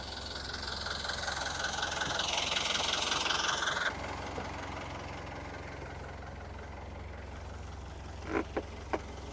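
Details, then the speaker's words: Diesel engine idling on a cold start after sitting unused a long time, fresh oil change; water from exhaust, no smoke, good oil pressure. Steady, even idle, no knocks or misses; started right up though initially short of fuel. Normal idle. "Sounds good, it's running good, started right up. It didn't have enough fuel when I first kicked it on, but it hadn't run in a long time, so."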